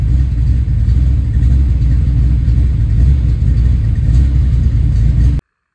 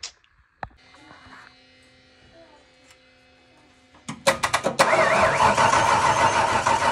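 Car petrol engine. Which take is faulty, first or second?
second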